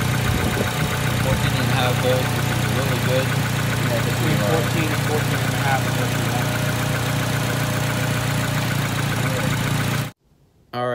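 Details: Acura RSX showing a P2500 code on a Zus Nonda monitor; the battery passed and the alternator put out about 14 volts. A steady, even low hum at idle with no knocks, misses or hunting; the engine settles and runs smoothly. Normal idle.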